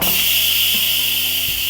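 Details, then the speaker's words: Instant Pot Duo quick release done in short bursts, then left to come down on its own: a steady, high, airy steam hiss through the valve with no sputter, fading as the pressure gets lower. Normal release; the pin drops when done. "One of the ways that I like to do a quick release is actually by doing short bursts to let out the majority of the pressure and then let it come down on its own like this. So you can hear that the pressure is kind of getting lower and lower."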